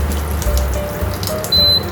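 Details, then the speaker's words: Hatari AC Classic1 evaporative cooler, whose pump would not run on COOL, with the pump sensor's black and white wires removed: one sharp quarter-second beep over a quiet room, a low or no water alarm, and the pump stops. "เห็นไหมครับมีเสียงแจ้งเตือนนะครับว่าระดับน้ำน้อยนะครับหรือว่าไม่มีเลยนะครับ"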